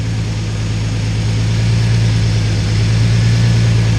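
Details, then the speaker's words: Twin-turbo MG Midget project, first startup, about 50 psi oil pressure; steady, even low idle rumble; a tap heard at first start, thought from the lifter area, has gone away, no ticking or tapping: normal idle. "there was that freaking tap when it first started up and now I went away so anybody goes back here I thought it sounded like from the lifter area or something"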